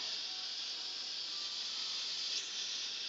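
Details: Steady high-pitched hiss of pressurized water escaping from pinhole leaks in a hot water pipe in a bedroom corner, water dripping down, before plumbers clamped about six leaks.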